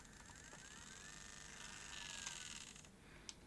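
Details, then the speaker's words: Video8 camcorder with a stuck tape (Sony CCD-TR705 or Canon UC-X10), powered at 6.1 V on the battery terminals: faint whirring, light clicks and a short squeal on eject as it switches to play, then stops. Suspected to need more current than supplied. "switches to play clicking uh it might be taking more current than we can give it"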